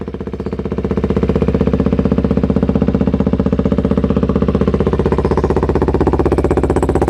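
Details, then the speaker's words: 2008-2012 Kawasaki Ninja 250R twin after service with new clusters, started and warming up, lavalier mic removed. An even, steady twin-cylinder thrum smooths and firms as it warms, with no knocks or ticks and a clean sound. Normal warm-up idle. "there you go nice little idle now sounds very clean still warming up a bit"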